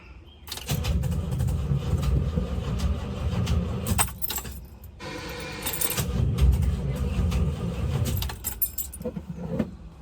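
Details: 1973 Toyota Land Cruiser, engine hot after a cold start: starter churns about three turns a second in two long bursts but engine never catches; cranks but won't start when hot, later tried with jump starter.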